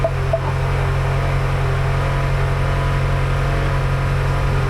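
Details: 2016 Ford Fusion with HVAC stuck on vent mode and a slight buzzy vibration noted at startup. The blower is set to full speed: a steady rush of air over a constant low hum with no rattle or squeal. Normal blower operation on high.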